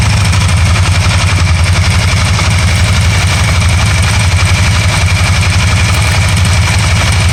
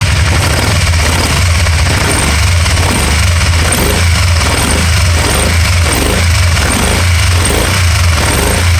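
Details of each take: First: 2012 Can-Am Spyder RT-L 990 at idle after a misfire cleared up by itself: steady, even idle pulse at about three beats a second with no skips or stumbles; running cleanly. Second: 2012 can am spyder rtl 990 misfire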